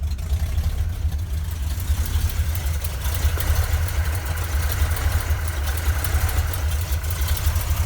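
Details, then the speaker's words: 1971 Ford crew cab, freshly rebuilt 352 FE V8 with new cam, cold-blooded at start, open glass packs, leaky headers ticking: deep choppy lopey idle from the cam, running fine; surging when cold suspected from PCV valve or vacuum leak (about 13 inHg). "Pretty cold-blooded, actually. There we go. Camera wasn't focusing for some reason. It has a fairly noticeable idle with that cam. Kind of like it."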